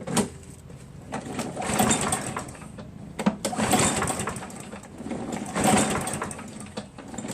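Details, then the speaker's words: Craftsman 7 hp self-propelled mower, Mechanic in a Bottle soaking in the fuel about an hour and a half; valves lapped twice, carb cleaned three times, keyway checked: recoil pulls about every two seconds, each a brief cough that never catches. Hard starting. "so as you can see and thus eventually start but thus take a bunch of pools right"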